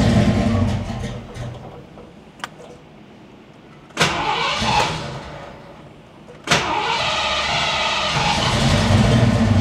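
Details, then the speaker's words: Foxbody V8 just after startup following injector swap, idle air control and distributor jumper unplugged, shop about 111°F: idle surges badly for 15-20 seconds then levels out around 950 rpm. "doesn't like the idle initially when you start it up it wants to Surge real bad but after about 15 20 seconds it levels out and it's idling good now"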